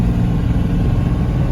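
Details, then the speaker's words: 1996 Chevrolet Suburban with swapped Cummins diesel towing a 7,000 lb trailer uphill in third, out of overdrive, about 35 mph, EGT about 600: deep steady drone without surging, knocking or power loss; healthy under load. "And the trailer is pulling no problem. You're going about 35 miles an hour up the hill."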